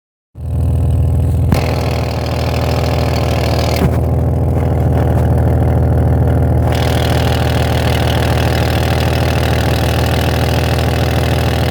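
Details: Van at idle, exhaust leak located with the straw method: a faint rapid puffing tick over a deep exhaust drone, from a leaking catalytic converter.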